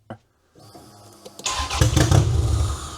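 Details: Toyota Camry demolition derby car, previously no-start, after fixing a cut security-system wire, cranked with booster pack: quick starter churn then ragged catches growing stronger but never settling into a run; nearly fires.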